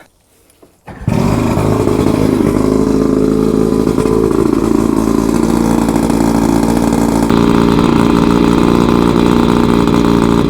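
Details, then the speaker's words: Twin 50-year-old OMC 50 two-stroke outboards on a 1960 Alumacraft Queen Merrie, first start after 5+ years of storage, running on muffs with no water pumping: fires within a second, fast steady buzzing high idle because jetting is off with exhaust out of water. "These motors are definitely idling high because the jetting's off with the exhaust not being in water."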